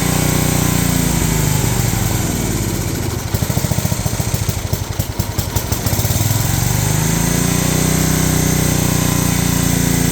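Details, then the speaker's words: Old riding mower/ATV of unknown year with many miles, barely runs, throttle set up, in neutral. Loud fast note dips briefly then climbs back and stays high, won't settle to low idle; owner suspects governor needs adjustment. "Okay, it does not want to run low RPM, and it sounds to me like it's revving too high, so I might need to do some adjustment on this governor right here."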